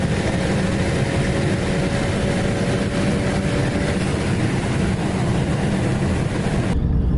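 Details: BMW fitted with a BorgWarner S366 turbo in place of a Precision 6466, running about 15 psi boost; misfires at 23 psi are suspected to be the coil packs. A heavy roar under load carries a thin steady whistle: normal turbo spool under boost.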